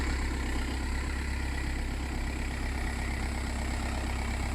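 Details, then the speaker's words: Audi A4 B6 after replacing the alternator pulley to cure a steering-area noise. On starting, a smooth idle with no whirr, rattle or chirp from the belt drive; the noise is gone. The tensioner may also be damaged. "and as you can hear absolutely nothing goes on"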